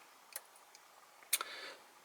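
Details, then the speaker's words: 2014 VW Touareg 3.0L TDI during battery replacement on external power supply: two light dry clicks about a second apart, engine off; relay clicking, owner suspects it dislikes the supplied power. "I can hear the car clicking away here, so I wonder if it's not happy with the power supply that I'm giving it."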